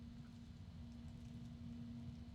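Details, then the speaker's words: Super Flower MegaCool SF-PPF1 1221 three-phase, 12-pole case fan, set to low speed by remote. Quiet, steady low hum with soft airflow and no rattle or ticking; normal. "all right back to the the remote control this is again this is the low speed"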